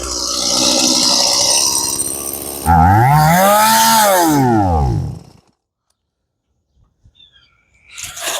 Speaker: Okay, so definitely probably carburetor or fuel starvation issue with this one. Maybe fuel filter. The engine's just kind of, it's able to run. It sounds like the compression's there. It's just speeds up and down whenever it pleases.